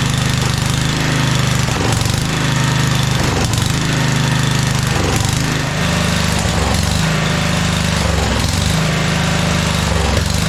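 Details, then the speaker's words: 1997 Craftsman II rider, 13.5 hp Tecumseh, long-stored: loud single-cylinder chug sagging and stumbling every second or two; flooded from too much gasoline poured into carb intake; surging, owner says carb clean needed. "bit flooded now I put too much gasoline in"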